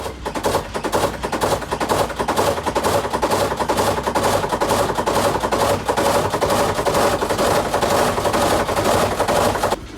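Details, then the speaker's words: Samsung top-load washer WA48H7400AW/A2 before fix: rapid heavy thumping, about two knocks a second, throughout spin as the tub hits the cabinet walls; inner tub keeps moving, suspension rods recommended for replacement, fix reduced noise. "it keeps going like this and hitting the walls and keeps making weird noises"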